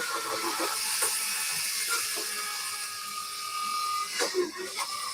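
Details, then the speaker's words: Model railway locomotive after a no-cost fix with copper clamp refitted, on track: light even motor whirr with faint gear chatter and hiss; still slightly noisy but far quieter than before. "so there you go it's running it's still a little bit noisy but nothing like what it was before"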